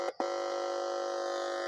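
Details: Old car tape stereo that gave no sound, under repair. With one speaker connected, the amplifier IC's input pin is touched: a short click, then a steady constant-pitch hum from the speaker, showing the amplifier IC is good.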